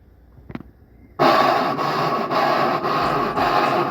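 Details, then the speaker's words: Brastemp BWL11/BWB11 washing machine in the spin cycle: harsh scraping that pulses about twice a second. A worn or failed drive pulley coupling, which transfers motor power to the drum, may be the cause. "a sua máquina lavar tá fazendo um barulho estranho na centrifugação como se estivesse raspando algo o problema pode ser mais simples do que parece em muitos casos o barulho ocorre devido ao desgaste ou falha no acoplamento da polia"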